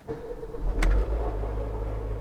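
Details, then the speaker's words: Mercedes B-Class M266 engine cold start, throttle at 15%: cranks and catches within a second, then smooth even raised idle near 1,300–1,500 rpm because engine is cold; normal cold-start fast idle. "vejam que a rotação está próxima de 1500rpm porque o carro está frio e nós temos ali ó a rotação em 1.300 RPM"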